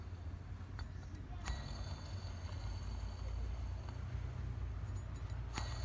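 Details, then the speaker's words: 2012 Toyota Vitz AC compressor whose pulley bearing was recently replaced. At idle with AC not engaged, a faint steady metallic scrape rides over the engine. The clutch (conductor) plate is rubbing the pulley. "So it was very noisy while the engine was idling or running and the AC was not engaged."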